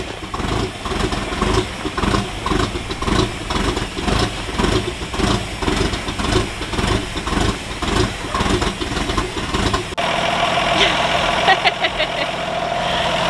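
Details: 1952 Ford F1 truck on its first start after fuel problems and the bad fuel was dealt with: it settles into a steady, slightly lumpy idle with even firing pulses and no knocks. It runs fine.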